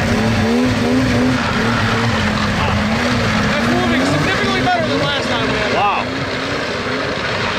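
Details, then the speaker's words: Two-stroke snowmobile (XLT Indie special) pulling away in poor snow, over 20 mph: raspy, throaty buzz rising and falling cleanly with throttle, no misfire or bogging; runs healthy. "it's working it does actually sound pretty cool too it sounds about throaty but oh yeah sure nothing but throat"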